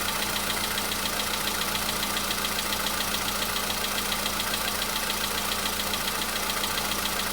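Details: VW Polo Sedan (CFNA engine) cold start a day after oil change and flush with flushing oil: light, fast, regular tapping about three or four a second over idle hum, knock seemingly absent yesterday, now slight; cause unknown.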